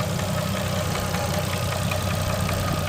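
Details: Nissan RB25DET Neo, hot after a 10 psi run, good oil level, timing fine, no check engine light, small exhaust manifold gasket leak: quick ticking at idle, louder than ever, calms after 5 minutes; owner suspects lifter around cylinder 4 or 5.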